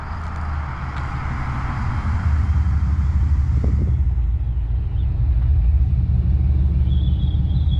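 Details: First start-up clip of a high-mileage 21-year-old GMT800 Chevy Silverado/GMC Sierra 1500 V8 through newly fitted used long-tube headers: deep, even rumble swelling gently with revs, no knocks or misses; normal idle and revs.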